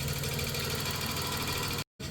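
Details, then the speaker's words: 1991 Dodge Grand Caravan 3.3 V6, abandoned 21+ years and leaking transmission fluid: an even idle with a faint rhythmic scraping on each turn. The top end sounds happy off idle; the owner suspects the flywheel is rubbing the oil pan, unconfirmed. "I still think it's the fly um the flywheel rubbing the uh oil pan."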